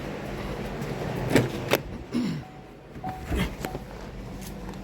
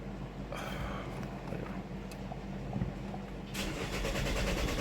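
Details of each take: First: Chevy, 134,000 miles, after vacuum pump failure threw off timing (P0014/P0017), fuel rail refitted and pressurized after a bad fuel leak: brief crank, then immediate catch into a smooth, steady idle; check engine light still on, possibly fuel pressure code. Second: 2018 Chevy Malibu, broken vacuum pump threw off timing (P0014/P0017 cam-crank correlation): starter whirs steadily about four turns a second but engine never catches; fuel rail pressure low during cranking, no brake assist.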